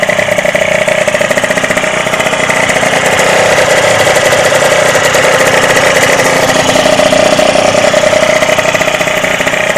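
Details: Derbi DRD 03 two-stroke, bought in a lamentable state, first start after complete engine restoration: crisp, even popping at steady idle, no knocks or misses; normal idle, healthy.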